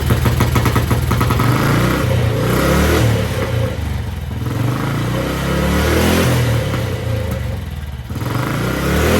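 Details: 1955 Velocette single, sat over 20 years, first start after choking through the open air box: steady thump, then revs climb and fall with the throttle and it pulls cleanly; running healthy.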